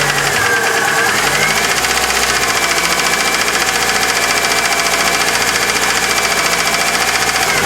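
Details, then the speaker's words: Chery Amulet idling steadily with a light, fairly even tapping about three or four times a second from the engine; suspected noisy hydraulic lifter, due to be replaced. The knock was not cured here; owner reports squeezed-out new lifters fixed it elsewhere. "У нас Cherry амулет, и у него есть стук в двигателе. Давайте послушаем его. Я думаю, это гидрокомпенсатор."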